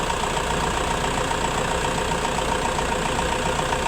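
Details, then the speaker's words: 2005 Toyota Innova, after a no-crank, no-start fault, now starting and idling smoothly with an even mid-pitched hum; battery 12.74 V with little voltage drop while cranking, and battery and alternator both in good condition. "Okay lang. Hindi naman siya nag-drop ng sobrang baba at good condition pa iyung battery. Good condition din yung kanyang alternator. So umaandar na rin."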